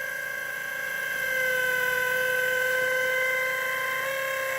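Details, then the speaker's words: Sony AV-3400 EIAJ portable reel-to-reel portapak: steady thin high whine with a slight rough flutter from the vibrating tape drive motor, likely a bad bearing, not the head; motor must be replaced with a spare. "vibrating i bet it's got a bad bearing in it something's got a bad bearing it isn't the head though it's just stupid motor so this motor's got to be replaced"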